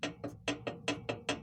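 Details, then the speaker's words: Zubr walk-behind tractor with R195 diesel engine: sharp regular knocks about five per second over a low diesel drone; engine knocking, owner suspects shaft or gear wear, not confirmed. "вашему вниманию мотоблок Зубр. У нас есть стук вала, я так думаю, на шестерні"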